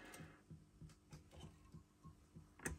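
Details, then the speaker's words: Audio Innovations 800 Mk1 25 W class A tube power amp, first power-up after modification: soft rhythmic low-frequency bloop/thump about three per second over faint hum from the rear speaker; source unknown. "you can hear this it's some bloop going on and two to 250. can you hear it this is from the rear speaker"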